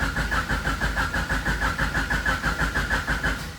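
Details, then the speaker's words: H22-swapped EG Honda Civic, first start attempt after new shifter cables were fitted: even cranking at about three beats a second that never catches, and fuel is smelled. A crank, no start because the fuel pump gets no power; a ground fault is suspected. "go what's going on now something ain't right well let's see what we got going on now i smell fuel"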